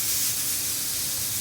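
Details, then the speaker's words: Samsung refrigerator not cooling, unplugged and plugged back in: steady, thin airy hiss with no pulsing escaping the cut line instead of sucking in, indicating a partial capillary tube restriction; filter drier to be brazed in. "And it's not. So I have a restriction or partial restriction in here."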